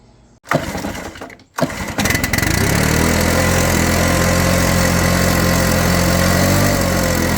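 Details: Stihl BR600 backpack blower that wouldn't crank, after carburetor replacement: two pulls, then it catches and settles into a steady, even run with no surging or dying; running normally.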